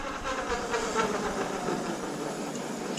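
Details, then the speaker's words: Razor MX500/MX650 converted with a 2000 W Vevor brushless motor kit on a 48 V battery reading 54 V, fully charged. In the top speed setting it gives a steady, even high whine with no knocks or grinding: normal running. "Let me put it top setting. Ooh, and there we go. It's alive."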